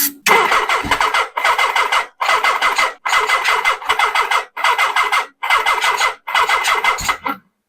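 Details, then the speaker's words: 1979 Suzuki GS1000 after new Dyna ignition install: repeated short even starter bursts, about eight tries, briefly firing but not running on; charger indicates a bad battery, cause not yet certain. "I did did hear it fire that was the goal"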